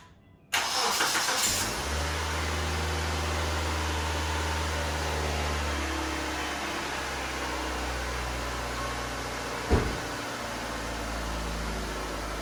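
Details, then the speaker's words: 2002 Mitsubishi Lancer started after fitting new catalytic converter/headers and gasket: starter catches quickly, then smooth even idle with steady low hum, no knocks or misses; slight smoke from the new gasket; normal idle. "All right, smoking a little. That's just from the new gasket."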